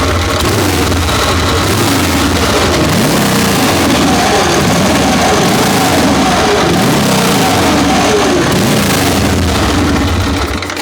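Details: Excelsior V-twin motorcycle, first start in 3.5 years after carburetor tinkering, with the carb leaking slightly: fires and runs roughly with uneven, loping beats for several seconds, then dies; it won't keep running.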